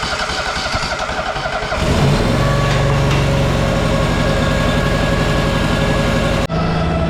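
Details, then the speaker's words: Tuff Bilt tractor after carb chem-dip cleaning (dirty float and needle sticking, flooding) and cleaned spark plugs; fires after a few seconds of churning and settles into smooth, steady even idle; normal running. "Got her fired up, she's running good now."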